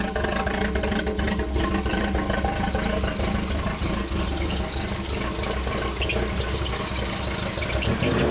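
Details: Opel with TH180 automatic, first start after a failed vacuum modulator let the engine suck in a gallon of transmission fluid; oil and filter changed, vacuum lines cleaned, new modulator: lumpy idle drone, owner thinks one cylinder missing, white smoke while burning off fluid.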